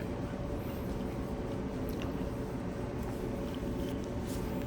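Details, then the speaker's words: Clothes dryer reassembled after repair for rough running noises: quiet, even low hum with a faint steady tone, no thumps, squeaks or scraping; running smoothly after repair. "let's see what it sounds like like okay yeah nice and quiet nice and quiet that's way we like the the machine to be nice and"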